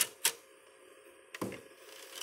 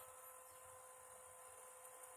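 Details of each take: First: Old PS2 that won't read discs: constant dry rattling and grinding from the disc drive at startup and with the tray open, over a faint hum. The browser shows only the memory card and says it is reading the disc. Later cleaned and lubricated. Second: Old PlayStation 2 after repair of grinding and no-read fault, laser lens cleaned and tracks lubricated with white lithium grease: faint steady hum with soft high whine as disc spins up, no grinding; drive reads and plays the disc.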